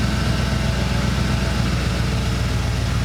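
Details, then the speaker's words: 1990 Ford F-150 Lariat 4WD, 351 Windsor V8, after replacing one ECM capacitor that caused a high idle bouncing 900–2000 rpm and harsh shifts: deep, steady idle now holds about 850 rpm, very stable, no surging or misses. "so about at 900 850 at about 850 very very stable no surging"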